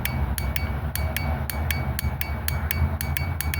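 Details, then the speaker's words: 2001 Mazda 626 2.5L: new Napa fuel injector tested in fuel rail, sharp crisp metallic clicks about four per second, consistent; injector opening properly, normal. "Okay, that's the Napa injector. That's how it should sound."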